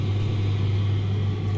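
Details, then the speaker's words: Simpson clothes dryer running after drum bearing replacement: steady even low hum, the earlier mechanical whirring gone. "So happy noise, no whirring noise."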